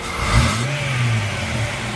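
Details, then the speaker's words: 2004 Jeep Grand Cherokee WJ: starts fine, idles slightly rough, then after a throttle blip the idle sags and falters and it dies; stalling at idle, owner suspects dirty throttle body. "But when I let off the gas, if you notice, it starts to hesitate a little bit more and almost seems like it's gonna die."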